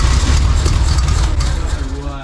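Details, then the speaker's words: 1952 VW barn door ambulance with a 25hp air-cooled motor, on first start with fuel poured in by hand. It fires straight away with a steady low beat, then fades as that fuel runs out. Sounds cute. "Now, that's all your fuel gone now. It sounds so cute."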